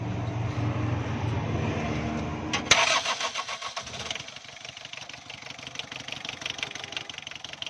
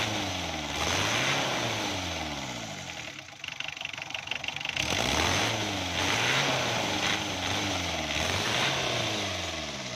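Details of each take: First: Warm diesel engine with over-advanced injection pump timing, hard to start after standing 5 minutes (push-start needed after an hour): few seconds of cranking churn before catching, then uneven, stumbling, misfiring and vibrating run; fix is retarding the pump. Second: Diesel engine after injection pump was moved toward retard and its 12 mm bolts tightened to cure hard starting and weak pickup: catches and runs at a steady, even beat with light revs, no knocking or misfire.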